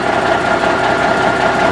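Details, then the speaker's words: 1984 GMC truck restarted warm, run 15 minutes about an hour earlier and shut off 45 minutes before; even, steady idle with a smooth low rumble and no knocks or misses: normal warm idle. "wasn't completely cold I had cranked it about an hour ago they run for about 15 minutes and shut it back down and so it's been set in 45 minutes since it was last started"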